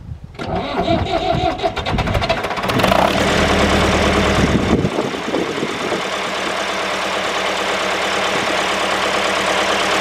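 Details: David Brown 996 diesel tractor, sitting about 10 years, first run after storage and before the coolant top-up: it cranks, catches with a clattering rush, then settles into an even, steady idle; normal idle.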